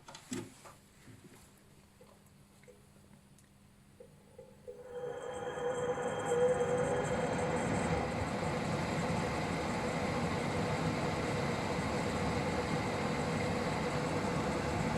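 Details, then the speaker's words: Swegon Casa W80 heat-recovery ventilation unit, after cleaning dirt from fan motor impeller, only cleaned motor running; fan starts about five seconds in, smooth even run, slight hum at startup expected to fade. "при включении есть немного гудения да это со временем пройдёт на мой взгляд очень достойно"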